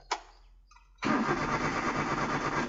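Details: Car cranked repeatedly but won't start: a starter click, then about a second and a half of steady cranking whir that never catches; turning over but not firing because there is no spark plug current.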